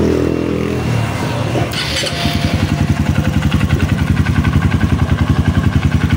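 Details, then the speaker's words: Honda CRF150 rebuilt after oil-starvation damage (rocker arm, cam, shaft, valve guide replaced), with starter carbon brushes replaced because it could no longer crank. A brief whirring crank, then it catches into a steady, even idle thump; starter and start-up are healthy. A slight exhaust leak remains. "Hindi na mapa-start itong kanyang engine. So try natin kung okay yung kanyang sa starter."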